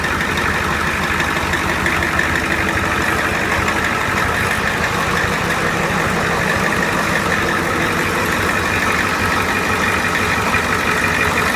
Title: Big Red minus the belt squeal